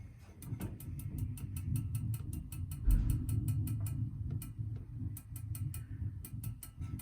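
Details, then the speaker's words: Legacy Truma gas heater lighting; sharp ticking about four a second over low hum, igniter keeps sparking as the burner won't stay lit until the thermocouple warms and holds the gas valve open. "it's really close try Once More by holding down basically once the thermocouple has warmed up it's that being hot that keeps the gas flow open"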